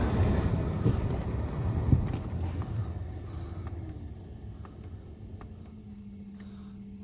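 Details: Mercedes C300 C-class with no-heat complaint, new blower motor just fitted: steady low fan rush with a faint even hum settling in, no rattle or scraping; blower runs smoothly on all speeds.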